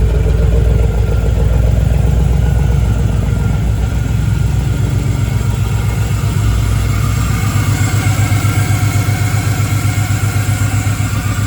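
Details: Camaro with a 6.0 V8 swap, first start: a lumpy, uneven idle with irregular pops, bangs and stumbles, running weird while the tune was being adjusted. Cylinders are misfiring.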